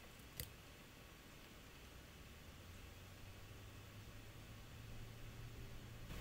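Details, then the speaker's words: Roland V-1HD video switcher after fix, recorded on shotgun mic: built-in fan unplugged, near silence, then a faint steady low hum as the added external 120mm fan spins up, running smooth and very quiet. "turn off okay we will unplug that again there's complete silence and then i'm going to turn this one back on"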